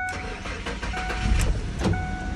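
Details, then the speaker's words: 2006 Ford F-150 4.2 V6 no-start with no spark, fixed by replacing the fuse and repairing the coil pigtail wire rubbing the EGR tube: short crank, clean catch, steady even running with no misfire. "there it is it's alive"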